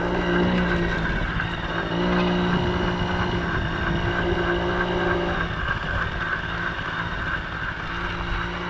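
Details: 1980 Yamaha QT50 two-stroke moped on its test run after its first start in eight years and many new parts: even buzzing at about four pulses a second, easing off smoothly, no misses or rattles. Runs good, nice and quiet, no issues.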